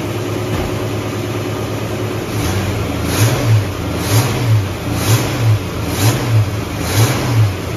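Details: Ford Mustang carbureted V8, idle turned up slightly; the cause found was an air leak from the wrong gasket under the 1-inch carb spacer: deep, even rumble with a soft swell about once a second, holding a steady, healthy idle.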